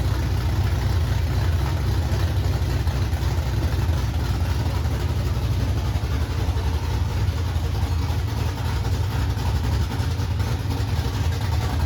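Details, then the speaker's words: 1968 Ford Mustang engine idling with a loud, deep, even rumble and no knocking or clanking; healthy. "it's so loud. No, there was no clanking. No, sounds good."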